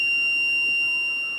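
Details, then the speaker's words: Aftermarket four-sensor rear parking radar system after installation: short bright high-pitched beeps; working normally. "here I'm going to do another test where I'll walk up to the back of the vehicle and as I get closer you hear the chirping get faster and faster until the chirping becomes constant"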